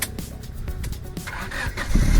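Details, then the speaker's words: 1997 Honda Civic Ferio automatic, 1600 cc fuel-injected engine, started without touching the gas pedal: brief crank catches almost at once into a steady low idle with no stumbling; healthy instant start. "Oke, langsung nyala, tak jreng ya."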